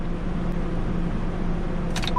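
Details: 2005 Dodge Dakota 3.7L V6 idling steadily with no misses, knocks or hesitation, after fuel pump replacement and cycling the key three times before starting; everything runs.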